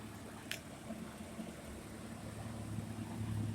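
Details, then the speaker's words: 1989 Ford Ranger GT 2.9 V6, started after sitting overnight following a 10+ mile drive, during a fluid leak check: smooth even idle, no knocks or ticks; normal idle. "fires right up and this very second I sounds good bur like a kitten no knocks no ticks sounds like a brand new 35 year old 2.9 V6"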